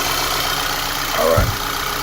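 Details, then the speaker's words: 2011 VW Tiguan after replacing ignition coil harness for P0300/P0301/P0303 misfires (loose coil signal wire found); restarted three times, starts right up, steady even idle with one brief thump, no misfire. "we started it three more times it starts right up no misfire and we're going to call this epic"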